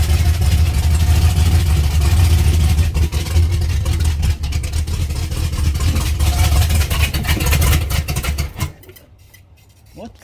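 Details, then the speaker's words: 1989 turbo Ford Mustang Fox body V8 after high-volume oil pump install and distributor re-stab, timing possibly a tooth off, started with number one spark plug left out: lumpy, stumbling, loping beat that never smooths. Misfire, dead cylinder from missing plug. "so i had to pull the number one plug to uh set the timing yesterday to stab the distributor there's the wire and there's the plug i cranked it up without putting it back in that's pretty funny"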